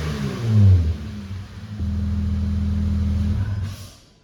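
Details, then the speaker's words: 2008 Acura MDX after fitting 100,000-mile spark plugs, with less restrictive intake pipe and 1-inch spacer: quick rev blip, crisp throttle response, then smooth even idle and shutdown, exhaust slightly changed, no misfire; normal start and rev. "Praise God, this thing sounds so good. It is running so much better than before. It has a nice crisp throttle response, and the exhaust sound did change just slightly."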